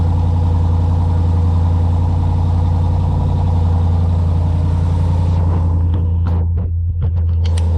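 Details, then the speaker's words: SRT8 V8 just after a DIY spark plug change to NGK Laser Platinum plugs, just started: deep smooth rumble at raised cold idle, even with no hunting, bobbing or misfire, then dropping off evenly; plugs and wiring judged correct, healthy engine. "Higher right now because obviously I just started the engine. We want to make sure it's not bobbing back and forth, which could be an obvious sign that I didn't put in all my spark plugs correctly or they weren't wired correctly."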